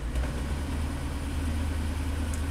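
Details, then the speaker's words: 2004 Chevy Avalanche 5.3 L V8, 67,000 miles, started and idling in Drive under slight load: deep rumble with an uneven, lumpy beat; scan shows cylinder six misfiring, feels like a single-cylinder misfire, with cylinder two also misfiring at times. "it is shaky right now I see a misfire cylinder six it does feel like a single cylinder misfire now"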